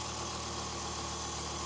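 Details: 1993 Dodge Viper, cold start, manifolds and coolant hoses still cold, mic close to the engine: soft steady intake rush over faint low hum, no ticking or knocking; clean, healthy idle.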